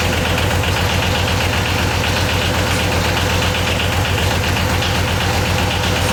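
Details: Yanmar YM276 diesel tractor after clutch replacement: even clatter at steady idle with no slipping, squeal or grinding; engine running normally.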